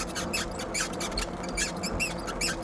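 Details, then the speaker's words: Aipas M1 Pro e-bike, about 90 days old, ridden in gear one: short high chirping squeaks repeating about every half second in time with pedal strokes over road noise; rear suspension squeak, cause suspected. "Squeaky squeaky squeaky squeaky. So much fun."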